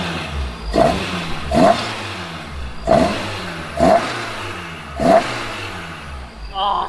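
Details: Toyota AE86 four-cylinder on a new plug-and-play aftermarket ECU with full harness, replacing OEM ECU and coil pack: five sharp throttle blips about a second apart, each rising and dropping cleanly without stumble; revs crisply and healthy.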